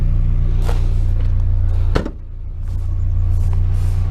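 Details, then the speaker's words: Mazda Miata after new NGK spark plugs and plug wires, previously running rough and hesitating, exhaust cut off: smooth, even idle with no missed beats, but a couple of stray clicks, a new weird tick the owner notices. "So hasn't missed a beat on idle, which is awesome. The only thing is that it sounds like it has a weird tick now."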